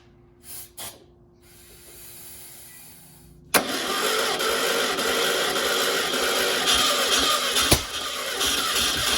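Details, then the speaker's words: Sat-for-years 1600 dual-port VW engine (mileage unknown) for a 1969 Karmann Ghia, on an engine stand, fed from a portable gas can with starting fluid used. Cranks steadily at about three turns a second with no firing; no fuel seen yet; won't start. "It's trying. It's trying."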